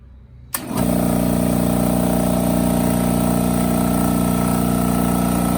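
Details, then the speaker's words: Craftsman air compressor switched on after its regulator was replaced with part D27253 and the threads taped. It jumps straight to a loud, steady pump drone with an even rapid beat and no audible air-leak hiss; running properly. "I'll flip this on might be a little loud you might not be able to hear hear that air leak if there is any but there shouldn't be"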